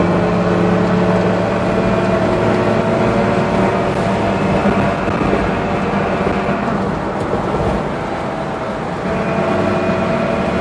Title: 4runner strange noise